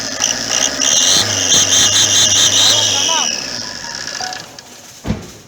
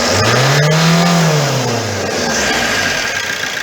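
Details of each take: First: Opel Corsa 1.3 diesel: sharp, steady high turbo-like whistle riding over the engine, then fading; caused by a leaking exhaust manifold gasket. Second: Opel Corsa 1.3 diesel after exhaust manifold gasket leak repair, full throttle rev: revs sweep up cleanly and fall back smoothly with no whistle or hiss; normal.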